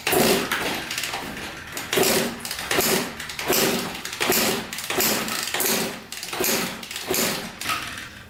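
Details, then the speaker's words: 1994 Honda CR80 two-stroke, good spark, reported low compression: steady kick-over strokes about once a second, engine never catching; owner suspects no fuel delivery or reed valves, not confirmed. "all right doesn't want to start so i don't think we're getting gas to where we needed to be or the reeds could be jumped to"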